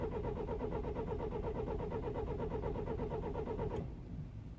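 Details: 2009 BMW E91 320i, attempted start after 9 hours outside at -12°C; starter cranks evenly near three turns a second then stops without catching; broken camshaft timing chain tensioner, chain and tensioner replaced.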